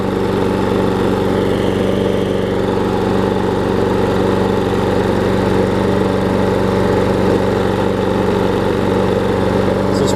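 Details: Troy-Bilt self-propelled mower after carb bowl gasket replacement and new self-propel belt, self-propel drive engaged: steady, even single-cylinder drone at constant speed without misses or surging; running healthy and drive working.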